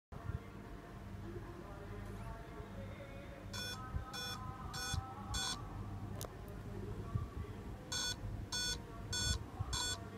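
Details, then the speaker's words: Dell Inspiron laptop at power-on gives two sets of four sharp high beeps, a four-beep memory error code with no display; fixed by cleaning and reseating the RAM. "there was four beep sound let's check check how can we fix this error"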